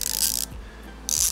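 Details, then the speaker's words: Brilliant Tool ratchet from a low-cost socket set: two bursts of harsh, scratchy clicking as the handle swings. The pawl catches and grates instead of ratcheting crisply, and the owner doubts it will last. "Seulement, il accroche. Il fait un bruit pas très joli."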